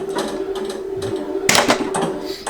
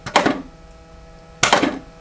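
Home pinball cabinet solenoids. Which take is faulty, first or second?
second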